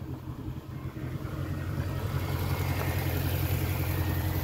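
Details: 2008 Jaguar XK 4.2 V8 automatic, 121k miles, just serviced by a specialist, bonnet open: steady even low rumble with a smooth regular firing beat and no knocks or ticks; clean healthy idle.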